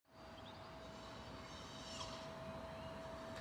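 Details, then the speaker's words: 2014 Toyota hybrid that won't start: a small motor buzzes nonstop with a steady mid-pitched tone. The brake pedal is very stiff, the dash clicks occasionally, and the hazard and interior lights don't work. "so that is buzzing and then when i go to start the car the brake pedal is really really stiff"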